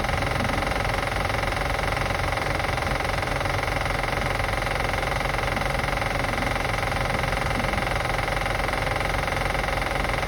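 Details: 2005 Acura TL after starting and running: fast regular light ticking roughly four per second over a steady idle; engine clicking noise being assessed, source not confirmed.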